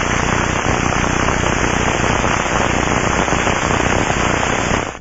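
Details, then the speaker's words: Aircraft mechanical bearing checked through ultrasound probe headphones: loud, coarse, steady rushing hiss with no crackle; rough rush indicates lack of lubrication. "crackling sounds indicate bearing [Applause] failure and rushing sounds which are loud and rough can indicate a lack of"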